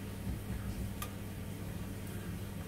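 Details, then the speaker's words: Ravenheat RSF boiler with hot water thermostat on and pilot lit: one crisp click about a second in over a faint steady hum; thermostat switching normally, working as it should. "the thermostats are working that click represents is working"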